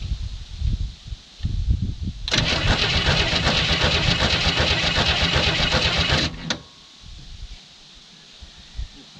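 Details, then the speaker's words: 1967 Chevy II Nova, sat 30 years, fuel line disconnected, something jammed in to clear flooding: starter spins the engine steadily and fast for about four seconds, never fires; crank no start, flooded. "so i may just be way too flooded at this point i may have to wait a couple days which is a bummer"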